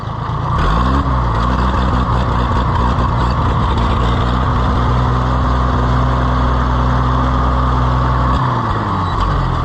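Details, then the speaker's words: Oliver 880 tractor after timing adjustment, governor linkage work and a sticking-throttle repair: idles well, but the engine rises then sags and labours unevenly, unable to hold speed; stumbles without a little choke. "Still falls on its face without a little choke."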